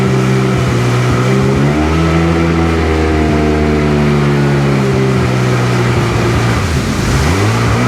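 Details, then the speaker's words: Sea-Doo GTX DI 951 two-stroke lake test after new solenoid and hard line installed, idling around 1450 rpm: clean buzz rising and falling smoothly with throttle, no skips or misfires; running way better. "Yeah, seems a lot better. Oh yeah, way better. I think we got her."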